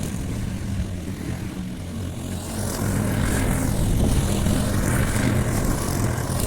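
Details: Briggs & Stratton Quantum engine on a Clipper lawn mower after spark plug work (previously wouldn't keep running after winter): steady drone thickens as blade bites grass, holds speed evenly; normal running under load.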